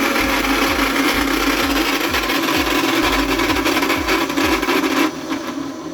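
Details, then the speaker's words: ARSHIA TURBO FORCE 3000 meat grinder with metal-gear gearbox, switched on: loud harsh rasping grind with uneven thump about three times a second, then cuts out; dry unlubricated gears. "When I turn it on, it makes a loud strange noise."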